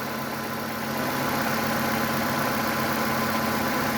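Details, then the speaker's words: 2011 Ford Fusion SE, 173,551 km, no check engine lights, idling: steady, smooth, even hum with no knocks, ticks or misses; a clean-sounding exhaust and a normal idle. "you hear the shot of the exhaust with the motor running very clean"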